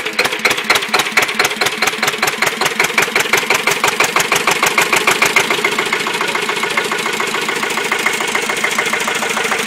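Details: Listeroid Metro 6/1 electric-start single-cylinder slow-speed diesel, 4500 W genset running at 740 rpm: slow, even thump, about six firings a second and rock steady, no knocks or misses; normal running.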